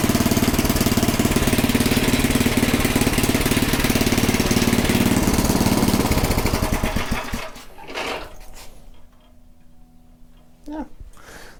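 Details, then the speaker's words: Small Predator single-cylinder engine (about 96–99 cc) on a front-tine rototiller, after the belt was tightened, with a new filter and a good plug, warming the oil: a steady, even putter, then it winds down and stops cleanly; running properly. "should be good to go i think we are set so let this run a little bit just to make sure get the oil a little warmer"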